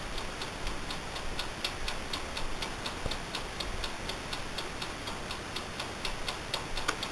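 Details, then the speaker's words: Amaco polymer clay craft oven, brand new, recorded up close while running: crisp even ticks about twice a second are the mechanical timer, running normally. "And that ticking sound is actually the timer, so just so you don't know."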